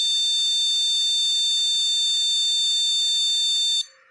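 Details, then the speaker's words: Motherboard with two RAM modules fitted, still faulting after trying one module and moving it to another slot: a single long, steady high-pitched beep of about four seconds. This memory fault code means the RAM is bad and needs replacing. "Nah, jika kondisinya seperti ini, bisa dipastikan bahwa RAM yang terpasang di motherboard kita rusak , jadi kita harus menggantinya."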